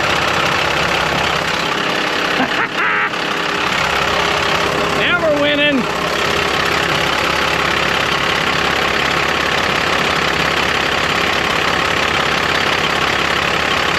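Steady, even diesel clatter with a firm rhythm after start-up and no misses; this engine is running healthy.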